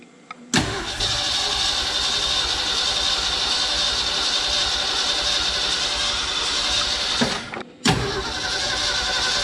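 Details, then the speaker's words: 1969 Ford F-250 with points ignition, sitting since 2001 and previously seized, cranks at a steady pace for about seven seconds, pauses, cranks again and never fires; owner suspects lost spark. "did we lose spark we might have lost spark"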